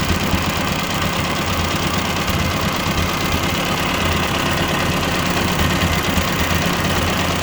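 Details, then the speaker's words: 1957 Ford 841 tractor running after fitting a Chinese replacement carburetor, tachometer not working: low steady idle with an even beat, no knocks or misses; the carburetor works. "All right, I'm about to fire it up so you can see. It actually doesn't sound too bad. I gotta get the tachometer fixed. I want to idle it down just a little bit."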